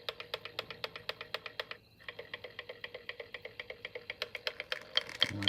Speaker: no matter which way I turn it it's going to keep making that noise huh this driving me freaking crazy